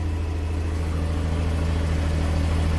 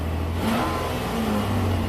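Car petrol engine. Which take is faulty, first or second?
first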